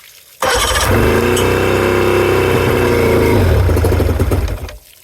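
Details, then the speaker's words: 2000 Johnson 50hp outboard project, starting fluid sprayed into the carbs with the airbox cover off: sudden rough, uneven popping for about four seconds, then dies; seems to fire on two cylinders, and the owner thinks fresh fuel may get it running. "okay she definitely wants to go so I think I honestly think just fresh fuel now might do her sounded like it was popping on two cylinders there so that's a good sign"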